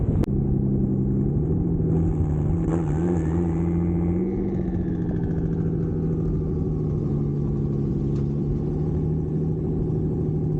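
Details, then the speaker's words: Nissan 350Z drift car repaired after Pocono crash (control arms, steering rack, intercooler, tubing), first test drive under acceleration: clean steady engine note pulling smoothly, no knocks, misses or rattles; healthy. "First test drive went well. Car rips."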